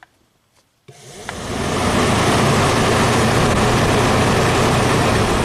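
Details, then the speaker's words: 1991 Audi Turbo wagon radiator fan circuit, first relay removed and its load-side terminals jumped: quiet, then a steady rushing whir spools up within a second and holds even; speed uncertain, but the load side works. "okay very nice so I don't know if that was low speed or high speed but that load side Works"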